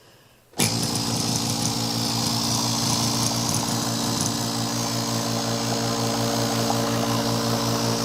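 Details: Vacuum pump for a digital vacuum wax injector, switched on: steady, even hum with constant buzzing hiss, no knocks or rattles; runs normally.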